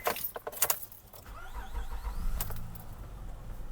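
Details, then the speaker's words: 2004 Acura MDX, 200k miles, for sale; keys rattle, starter turns briefly, engine catches cleanly into smooth steady idle. Healthy start; engine and transmission run good. "She starts up good."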